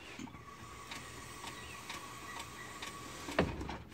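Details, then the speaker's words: 1984 Chevrolet Corvette C4, rear wheel turned slowly forward by hand: faint regular clicks about two a second, wheel hard to turn backward; owner heard grinding when slowing and speeding up, suspects rear end, not confirmed. "You hear that? Click, click, click. That's forward. So if I go backward, it's real hard to turn backwards."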